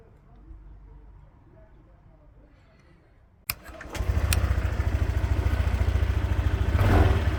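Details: Honda PCX 125 after repairing a no-start starter connector fault: silence, short crank, catches straight away into steady even putter about three beats a second; starts and idles normally.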